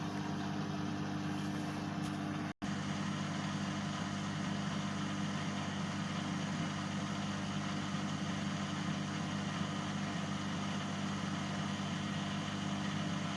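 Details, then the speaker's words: Bosch Exxcel 1400 S Express 6 kg washing machine on a drain program, door locked: steady, even low drain pump hum after one brief dropout, no rattles or grinding; pump sounds healthy. "So for this one, I think I'm just going to do a drain program, which basically takes a minute, and we'll start it going. Doors locked. You can hear the pump ticking in."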